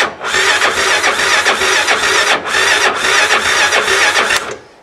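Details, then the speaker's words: Quad on a battery that froze over winter, revived by cycle charging for three days. The starter spins it over at a strong, even whirr for about four seconds without dragging. Normal cranking. "okay that is a good sign I like that that's usually what it sounds like when a crank start"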